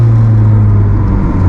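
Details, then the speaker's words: Honda Civic EJ9 with D15B VTEC swap, after fitting eBay billet lower engine mounts to cure worn-mount throttle jerkiness: a loud, deep, steady bellowing drone carried into the cabin. The jerkiness is gone, but the mounts suit track use only, not daily driving. "if you've got a track car, then 100% they are actually a very good bit of kit, because they make such a difference if you can put up with this bellowing noise."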